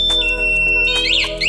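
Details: Honda Wave 110i (older model) with a model-specific remote anti-theft alarm: after remote lock, high sweeping electronic chirps rise and fall over a steady tone with music behind, and the bike's engine cuts out and stays immobilized until unlocked.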